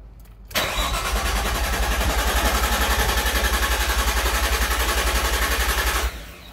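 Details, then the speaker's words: R33 Skyline GTST after cleaning gunked idle air control valve and resetting its screw: even cranking near four turns/sec for five seconds, engine never catches; crank no start from misadjusted idle air control screw, owner plans to back screw out. "all right so uh we did something um i guess i'll go back and check everything make sure everything's good huh maybe i have to uh back the screw out some"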